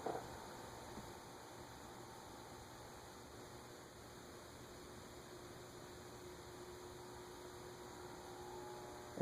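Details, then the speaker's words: Emerson (Sears) ceiling fan, model CF-523-L (possibly HF-523-L), 52-inch blades, on a decade capacitor test rig. At about 0.06–0.07 capacitance, near stall, there is a faint steady hum with soft tones over hiss: the motor hums when starved of capacitance. "it's noisy though I can hear it it's not sawing okay"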